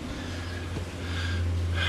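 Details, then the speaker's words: Inverter in a battery bank while charging with about 5 kW coming in; a steady low hum with a rising high-pitched tone near the end, a sound not heard for a long time; abnormal inverter hum, cause unknown. "oh you hear that that's something that's weird haven't heard that for a long time"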